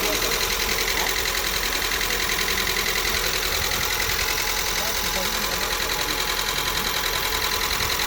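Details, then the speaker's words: Lada Xray petrol engine at about 57,000–70,000 km idling with a steady, rapid metallic tapping knock after an oil change, oil level fine; oil pressure suspected low, oil pump replaced; knock from oil starvation. "ощущение было как будто машину двигатели масла нет поэтому так стучит"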